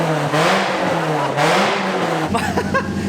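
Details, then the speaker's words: Toyota Yaris SR 1.8 Mk2 with turbo conversion and a newly fabricated exhaust (sports cat, eBay back box) is blipped; deep, loud, boomy rumble rising and falling with the throttle. The owner suspects the sports cat isn't doing its job. "my only concern is that I don't think the sports cat's doing its job well she sounds like a little beast Jesus Christ that's ridiculous"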